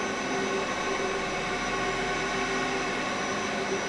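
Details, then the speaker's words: Hitachi VFD on a water pump after a DC bus overvoltage fault, restarted: steady, even drone with a thin whistling tone on top as the pump loads up (DC bus 660 V, 9–13 A); unexplained noise at startup, perhaps the pump. "what is that noise that's not good DC bus is good though what was that noise huh kind of sounded like a pump"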